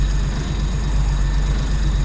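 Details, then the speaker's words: Nissan 200SX S13 with RB25DET, big turbo, bigger injectors and Power FC, not yet tuned and running very rich, warming up from cold: low, uneven, lumpy idle. Rough cold idle that improves when warm. "so we're gonna fire up let it warm up a bit because it's gotten a tune on it kind of idols not very good until it gets warm then it idles decent and it's stupidly rich because it has no tune on it"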